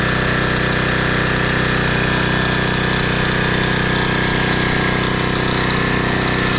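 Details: 2010 Toro Recycler Personal Pace 20333 mower, first start on previous owner's botched new carburetor (stripped choke screw, makeshift bolt): runs fast and hard with steady slightly uneven thrum, overrevving; cause not confirmed.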